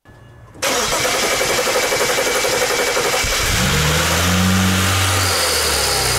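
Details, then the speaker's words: BMW E90 with N5x-family engine, after cam bearing ledge repair: engine cranks and catches, then a steady clicking of about four per second over a slightly uneven idle; no fuel leaks, quiets slightly; owner suspects the fuel injectors. "definitely hear the clicking yeah there's no leaks that's good no fuel leaks so it's quieted down just a little bit now you can definitely still hear it's clicking clacking and it's not running perfectly smooth again i think it's down to those those fuel injectors"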